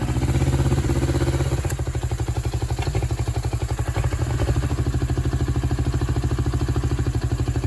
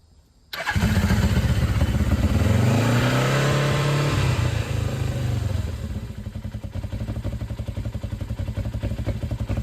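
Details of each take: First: 1996 Suzuki GS500 twin, carbureted: low, lumpy idle with uneven beats about three per second, hunting slightly; the petcock vacuum port on the second carb was open instead of blocked, leaking air. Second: 1996 Suzuki GS500, stock with two-into-one exhaust, after oil refill with three quarts: catches at once, brief rev, then steady even idle with nothing knocking; no oil light, healthy start.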